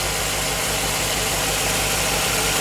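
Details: 2007 Chevy Tahoe 5.3L V8, first run after engine replacement, parking brake on; smooth steady idle with even low rumble, no ticking, knocking or stumbling, no leaks or check engine light; normal idle.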